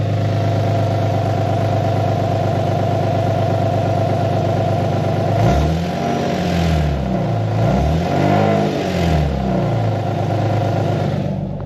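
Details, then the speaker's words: Cold start of a VQ37 with ISR high-flow cats, idling with a few revs, mic underneath: a raspy puffing under the exhaust note rises with throttle. This is an exhaust leak at the cats, which are being replaced with Berk high-flow cats. "Yeah, so I have an exhaust leak on this."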